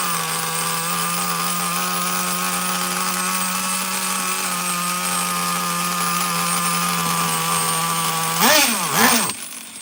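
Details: Traxxas Nitro Slash nitro engine, slow on grass, bench-run after tuning: a steady high-pitched buzzing idle that holds flat, then two quick throttle blips. Owner thinks it is running a little too lean; suspected, not confirmed.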